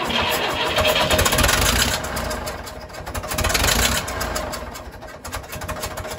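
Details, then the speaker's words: 1950s Fordson Major diesel tractor, first start in about 20 years after bleeding the fuel system, fresh diesel, charged battery and new terminal, smoking heavily: chugging beat that surges up and down before evening out, nothing knocking. A runner. "she's a runner okay we're happy with that she'll run all right"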